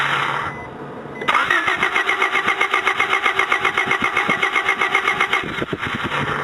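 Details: Honda Del Sol that wouldn't start the morning after a normal drive: steady starter cranking at about four compression pulses a second for four seconds, never catching; weak intermittent spark traced to a bad ignition coil that still ohmed OK.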